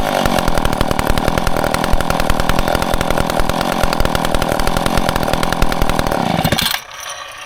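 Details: Old McCulloch Pro Mac 10-10 two-stroke chainsaw on 40:1 mix, first test run after full teardown and rebuild: crisp, even firing held steady several seconds, then cut off cleanly; normal running.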